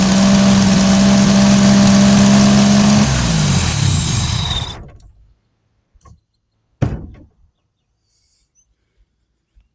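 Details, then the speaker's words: 1986 Chevy 2.8 V6 just converted from TBI fuel injection to carburetor: fast, steady idle hum for a few seconds before shutoff; idle speed set too high, needs idling down, but it runs. "you can tell, it needs to be idled down a little bit, but it runs. It's better than TBI"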